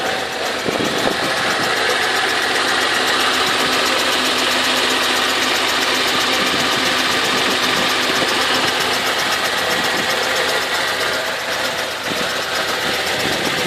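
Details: Infiniti FX35 V6 cold start at fast idle: sharp, fairly regular knock about four times a second over the steady engine hum; engine knock on cold start.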